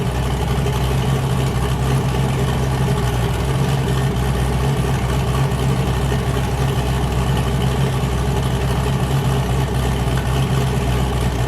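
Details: Boosted car "James Brown", new cam, started after 23 psi blew a coupler off and the owner feared damage: deep, steady, choppy idle with a hard uneven lope, running clean. Normal lopey cam idle.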